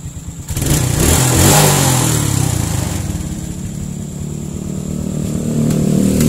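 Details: Suzuki Smash/Shogun SP 125 that had lost ignition, repaired by jumping the yellow-white-striped wire to the red wire, running without a battery on a local regulator: fires up promptly into a steady, even beat, revving freely without stumbles.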